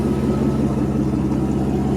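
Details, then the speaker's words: 1992 Mercedes 600SEL V12 idling: smooth, steady idle with a constant whirring hum from a loud water pump, due for replacement along with the fan clutch. "Water pump is loud. It makes the noise. Water pump is to be replaced as well along with the fan clutch."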